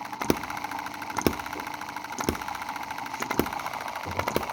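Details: Cheap Chinese M19/EM2 hit-and-miss gasoline model engine, two months old, after carb cleaning, spark plug cleaning and mix-needle rework: sharp firing pops about once a second with long coasting gaps, even apart from an odd skip; running well.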